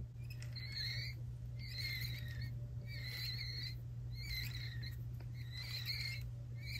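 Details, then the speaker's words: Unlubricated sprag-style one-way bearing gives bird-like squeaky chirps about once a second over a steady motor hum. The squeak comes from lack of lubrication. "this is an example of a sprag style oneway bearing in need of lubrication listen for the squeaky"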